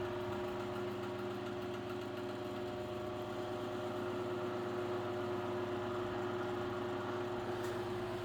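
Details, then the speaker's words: Late-1930s–1940 Chicago Electric Handy Breeze 12-inch table fan, model 314, two-speed oscillating, running on low at about 0.4 A. Steady motor hum with a light regular knock three to four times a second and buzzy vibration. Owner suspects the gearbox needs work. "The Baron's also show somewhere that's what that knocking sound is seems like it labors a little bit looks like I probably need to do some work to the gearbox"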